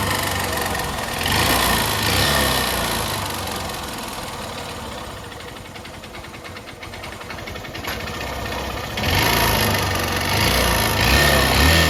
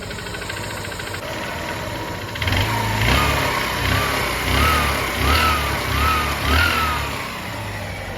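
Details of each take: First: 125cc motorcycle with only 11,000 km: hollow knocking a couple of times a second, louder as throttle opens, piston slapping the cylinder wall; faint fine noise is not timing chain, piston sound stays within engine. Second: Single-cylinder 125 bike with 11,000 km, previously loud piston noise, after engine work (piston and rings checked, new parts fitted); steady even idle without piston tapping, noise gone; normal idle.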